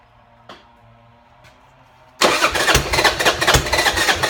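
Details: Buell Blast single that won't start without its auto choke (enricher) or a shot of starter fluid, here started on a drop of starter fluid through a small drilled hole: faint clicks, then a steady, even thump of about three beats a second. Runs well.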